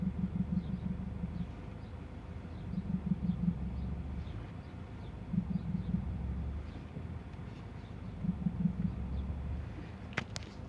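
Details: Volkswagen Passat CC 2.0 TSI: low rapid knocking bursts over deep engine rumble, about every three seconds when releasing clutch at biting point; left engine mount replaced but knocking persists.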